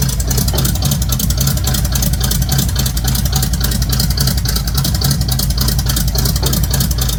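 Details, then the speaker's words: Quick listen test of a V8 truck with race bullet mufflers; loud deep lumpy burbling rumble with steady pulses, no knocks or ticks; normal idle and revs, healthy engine, loud exhaust. "That does sound pretty dang cool."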